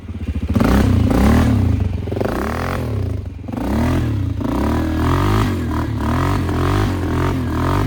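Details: 2001 Polaris Sportsman 500 HO after flood repair, test ride: even single-cylinder thump rising and falling with throttle, loud aftermarket exhaust, no knocks or clatter; AWD working, fan cycling, cooling properly; primary clutch engagement delayed.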